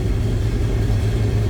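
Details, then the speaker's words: 1976 GMC Sierra Classic C1500 pickup with numbers-matching 454 big-block V8 and Turbo Hydramatic 400 automatic: deep, even low rumble with a steady beat, no knocks or ticks; normal idle. "little Rumble coming out of that 454"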